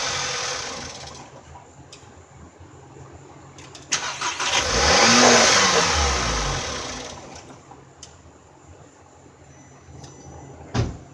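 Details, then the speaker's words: 2012 VW CC Sport after gateway control module replacement with no communication to all modules, battery recharged: brief crank, engine catches and revs a few seconds then dies; starts but won't stay running, computer fault suspected. "strange that the call will hit but it wouldn't stay running cuz worked normal from there"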